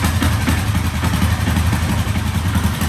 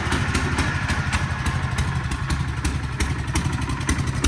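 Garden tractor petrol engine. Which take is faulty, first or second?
second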